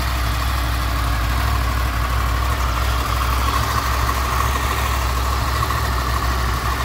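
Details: Honda VFR800 VTEC, 58,200 mileage, at idle: light, busy rattle over the engine note, heard mainly on the right side and coming mostly from the front cylinder, barely audible elsewhere; stretched timing chain (cam chain) rattle, chain later replaced.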